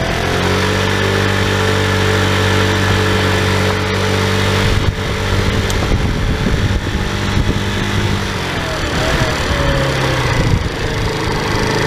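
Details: Tao Tao scooter at almost 3,000 km, running with the stock airbox filter refitted after a cone filter seemed to cost performance: a steady buzzing beat that picks up cleanly with no stumble, running normally.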